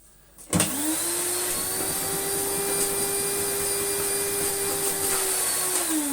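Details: Electrolux Slimline Mk2 156 vacuum, long stored in a loft, with its old bag, first run: motor spins up to a steady, even high whine, holds it without wavering, then winds down; good suction, healthy motor.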